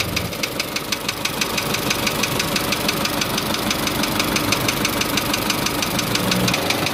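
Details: Isuzu Elf 4HL1 diesel with ECU, after its crank-but-no-start fault was solved: steady diesel idle with even clatter at about three per second and no misses or stumbles. Normal idle.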